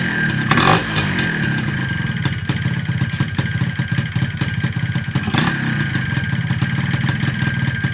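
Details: Yamaha 125Z two-stroke motorcycle with 1mm jet, started with exhaust fitted: busy rattly idle with steady metallic clatter over the exhaust; loud because the top cover is off.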